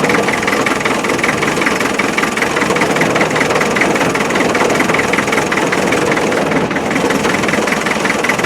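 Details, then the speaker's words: 1991 ex-MOD Land Rover 90, 2.5 naturally aspirated diesel that arrived not running: clatter with an uneven, lumpy beat of about 2–3 pulses a second, one cylinder not pulling. An injector drop test found one injector weak; number three cylinder is suspected, not confirmed. "like that injectors a bit weak I think I'll have to run it for a while"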